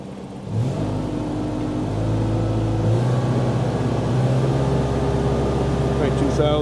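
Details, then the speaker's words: Bobcat 542B skid steer with a Ford 1.5 L engine after throttle governor repair. At max governed speed it runs about 100 rpm over the 2800 rpm spec. Climbs quickly, then holds a steady drone without hunting. Normal governed top speed. "2000 yeah so we're 100 RPM over I don't think I'm going to worry about that too much"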